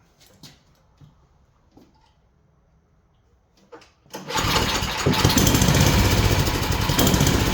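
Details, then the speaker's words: Yard Machine snowblower bought cheap, initially locked up; flywheel teeth suspected ground down, converted to pull start and adjusted. After a few handling knocks the small engine catches and runs a steady, even putter, sounding all right; untested in snow. "That's all right, ain't it? Well, the real test is to see how she does in the snow, but we don't got no snow yet, so. But yeah, it's all right."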